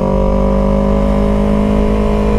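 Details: 2015 Yamaha YZF-R3 with Two Brothers S1R full exhaust, riding after recall repair (new clutch, clutch bearing, oil pump): smooth steady drone at even cruising revs, no rattle; earlier rattle gone, engine and clutch healthy.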